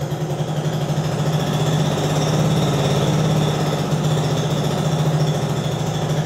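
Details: Translucidus MT02 transparent educational single-cylinder Otto-cycle engine with electric fuel pump running as a demonstration; steady, even thumping at about 200 beats a minute with no knocks or stumbles, normal running.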